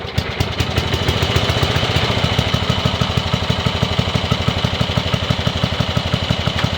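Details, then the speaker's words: Yardman (MTD) riding mower after removing redundant seat-switch wiring and reconnecting the kill-switch wire: small engine catches quickly and settles into a steady, even thump about three beats a second, running smoothly. "Well, that all runs well. Awesome."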